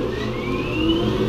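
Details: Aerco Benchmark 2.0 high-efficiency boiler, water at 133°F against a 189°F set point, control relay bypassed to force a call for heat: smooth fan whir rising steadily as the blower spins up, no rubbing or grinding. Normal blower start-up.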